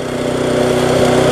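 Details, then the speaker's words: Viking (Stihl) mulching mower, Briggs engine with refurbished classic carb, after repair, smoke from tipping now easing: fast, even single-cylinder buzz with rising pitch, no misfire or surging, running well but a little fast. "running quite well to be on the free button a little bit fast we'll give it a few minutes"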